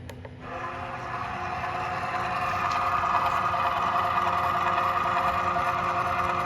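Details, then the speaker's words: CNC milling machine X-axis feeding at G01 F25 to X-5 in MDI mode while testing backlash compensation, slight overshoot afterward: smooth steady servo whine, no clunks or chatter; axis moves cleanly. "we'll demonstrate one more uh time with this x-axis backlash comp at a different speed and see how it goes"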